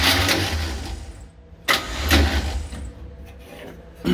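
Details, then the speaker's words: 1966 Chevy G10 van with points ignition, test plug grounded on block, weak battery: short, labored starter bursts with sluggish, uneven cranking and no catch; turning too slowly, low battery suspected, not confirmed. "Starter's acting up. Spark. So it doesn't seem to be spinning fast enough, so I gotta let this battery charge up a little bit."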